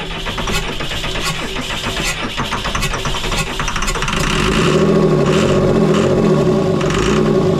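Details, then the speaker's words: Cummins diesel in a rescued Snap-On truck, unrun for 10 years, cranks steadily about four seconds then spins up louder without settling into idle, injectors cracked and check valve checked; won't properly fire, injection pump suspected. "Maybe by some chance and miracle it will have fixed itself, but pretty confident it's the injection pump, and that's what we'll end up having to replace."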